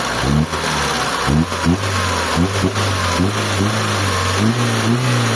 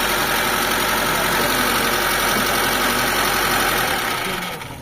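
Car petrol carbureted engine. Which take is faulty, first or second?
second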